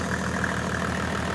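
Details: Mercedes OM606 diesel after injection pump calibration, warm at about 70°, idling with steady even clatter and no missing beats after a stuck injector misfire cleared; all cylinders firing cleanly, engine healthy.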